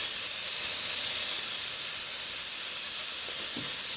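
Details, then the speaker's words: Forged SR20 turbo engine, S14 drift car, boost leak test with compressor pressurising intake, engine off: loud steady high-pitched hiss of air escaping; major boost leaks in intercooler piping. "we have mad boots leaks major one [ __ ] they're pushing right oh yeah that's the biggest one she's pissing it"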